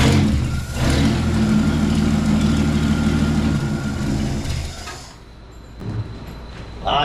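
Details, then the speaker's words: 1963 Chevrolet C10, 230 engine, after fitting new carburetor to fix flooding: catches and idles with slightly uneven low rumble before cutting out; rough idle, carb and idle throttle need adjusting. "runs she needs a little adjusting I think the old door gasket just bit I don't see nothing leaking all right let's adjust the throttle up a little bit"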